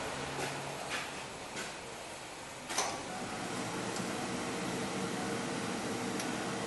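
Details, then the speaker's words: 2002 Ford E-350 with no blower fan, after diagnosis and repair, key on: a few clicks and a thump, then faint even fan hum holding steady; blower running properly. "no he can hear it but that's the sound you wanted to hear fans running and it works propolis"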